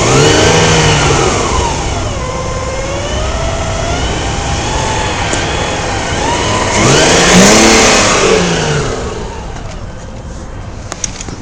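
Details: BMW 323Ci, 22x,xxx miles: whine rising and falling with each throttle blip, fading at idle; also present at idle and while driving, stops at idle with clutch in; transmission clanks on shifting; no performance loss, source undetermined.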